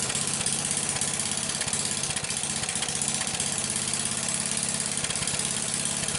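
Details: Briggs single-cylinder engine with a soldered-in plug wire, running as a test before trying to start it without the plug wire: steady, even beat with a loud, rattly exhaust; runs cleanly.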